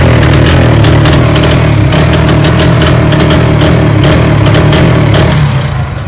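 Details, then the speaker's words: 2024-model Speed motorcycle revved with a missing problem: the engine stumbles with irregular sharp pops breaking the exhaust beat. "तो ये speed है, 2024 का model है। तो इसके अंदर मिसिंग प्रॉब्लम है।"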